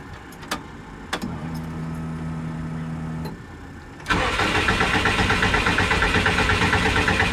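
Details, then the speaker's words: Subaru on a test tune after flood clear and an ignition cycle: fuel pump hums, then steady cranking at about three beats a second. It tries to start only with heavy throttle; owner suspects too little air and too much fuel. "So, it definitely wants to try to start a little bit when I give it a lot of throttle. So, that makes me think it ain't got enough air and it's too much fuel."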